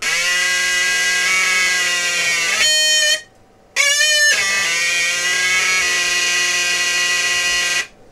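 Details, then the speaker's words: Crystal radio LM386 amplifier with new chip fitted; loud raspy squeal jumps in pitch and cuts out as the pot is turned, same squeal as old chip, no squeal with chip removed; amplifier oscillation, cause unknown. "let's put a new chip in looks good turn it on same squeal but we'll play with the pot and see what happens"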